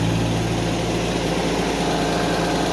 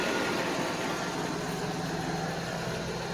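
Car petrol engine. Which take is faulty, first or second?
first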